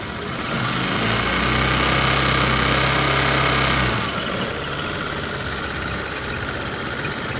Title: Kymco/Many100-110/後普利變速組/滑軌乾澀/異音rear pulley transmission Dry rails produce abnormal sound